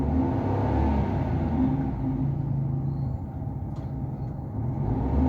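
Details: Suzuki 800–1000 cc Japanese automatic petrol engine with engine warning light on and poor pickup, idling: rough, uneven low thumping with stumbling pulses, engine misfire at idle.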